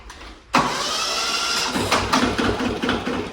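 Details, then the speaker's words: Yanmar 1500D tractor diesel, possibly a 2TR15, after replacing a bad starter solenoid: catches the instant the starter engages and settles into a steady clatter with no drawn-out cranking; normal start. "Unbelievable, unbelievable. It's never started like that before, guys."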